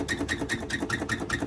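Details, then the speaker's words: Harbor Freight US General 44-inch tool box drawer gives quick, repeated metal squeaks with light clatter when lifted, flexing on a loose, worn drawer slide; the fix is riveting the slide to the drawer. "amazing squeak when i'm picking up on it everything's flexing and loose clapped out this drawer"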